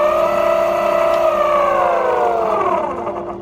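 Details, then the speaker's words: Hub motor reassembled after an internal spring washer broke into pieces: high whirring tone with stacked overtones sliding down as it spins down, still noisy, stator believed damaged by the broken washer. "one to three and it's still making a noise so it somehow has to do with the stator the stator must be bad somehow must have gotten damaged by that that it's little spring washer"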